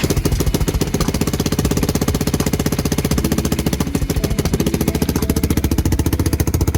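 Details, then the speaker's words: Lifan KP Mini with a swapped ZS175FMN 300cc 4-valve engine, idling on choke, exhausting straight from the head: fast, loud, evenly paced chuffing that holds a steady idle. "yeah that's better cool so this is project KP mini 300 yeah yeah yeah as you can hear it's chooching directly from the head because um yeah this is KP 150 exhaust"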